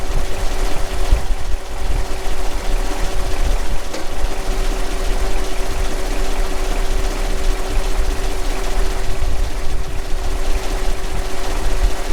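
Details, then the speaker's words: Kenworth T800 log truck, stock 485 diesel engine, being warmed up after a breakdown call: deep, even idle with a steady low rumble and faint whine on top, no misses or stumbles; running fine so far. "i mean it's running so far so good maybe i'll put that i think"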